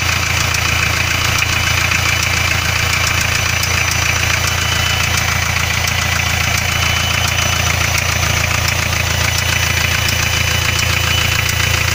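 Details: Hyundai 2.5 TDI diesel idling with hard, even knock about 3.5 per second; no knock cold, appears warm; spun connecting rod bearings found on cylinder 3 after turbocharger failure.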